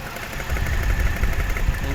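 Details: Toyota 1JZ-GE: steady idle with soft, irregular low thuds riding over it; faint knock at idle, source unconfirmed, camshaft fastening tightness suggested as a check.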